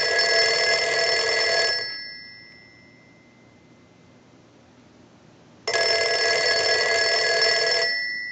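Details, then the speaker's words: Western Electric 302 rotary desk telephone, final checks after repair, rung with a line analyzer: two long, bright bell rings of nearly two seconds each with a quiet gap; normal ringing. "so now what we want to do is we'll go ahead and start our final checks and we want to ring the telephone with the analyzer so we'll go ahead and do that"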